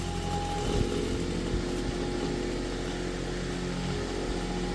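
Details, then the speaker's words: Vintage Kenmore fan after repair, rotary switch newly wired in: steady even whir at constant pitch, no knocks, scrapes or rattles; motor running fast on high speed, not exactly quiet but healthy. "Good gravy, that's fast. And not exactly quiet, but..."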